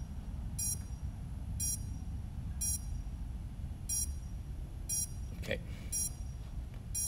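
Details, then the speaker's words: FPV drone on the bench during an XM+ receiver and QX7 setup, motor direction test: short high beeps about once a second over a low hiss; bad motor or ESC was suspected, and the ESC warning comes from a broken motor wire. "beeping uh yeah i think we might have a bad motor or a bad esc at this point"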